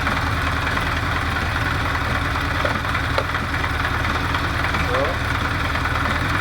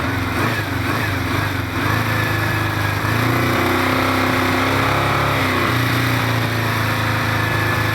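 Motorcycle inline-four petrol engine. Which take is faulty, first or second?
first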